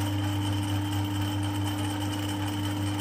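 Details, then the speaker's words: Harrison 140 lathe with 3HP motor, new taperlock pulley (750 to 1000 rpm), new A68 belts: drone with uneven light rattle from the copper clutch plate, its holes worn oversize on the hardened 8mm pins. "but you can hear this this clutch flch plate is very noisy you can hear the rattling already so the rattling is from that part"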